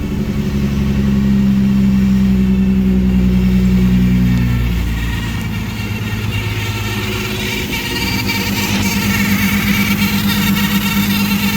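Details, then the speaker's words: Ecotec engine swap after correcting coil-pack plug wire order, fuel pressure good: engine revs up and settles with a steady, even note and no misfire stumble; a remaining noise is suspected to be the power steering pump. "So, let's see if that fixes it. Fuel pressure's good. Oh, that seems a lot better."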